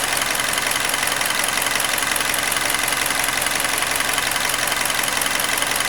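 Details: Hyundai Elantra (2012 or 2013), G4NB engine, roughly 240,000 km (mileage uncertain), after repair of a knock caused by cylinder scoring; thermostat and PCV valve replaced. Steady, even idle with a smooth hum and no knocking or ticking: normal idle.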